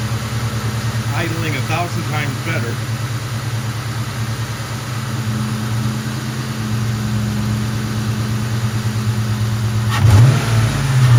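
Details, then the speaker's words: 1998 Mustang GT, 4.6 2V V8, after replacing the faulty idle air control valve and a cracked PCV hose: steady idle, two quick throttle blips, clean return to idle, no more loud hum on deceleration. "Just came back from a quick little drive and everything seems to be resolved. The the throttle response is much better, the idle the return to idle is better, it's not making that sound anymore."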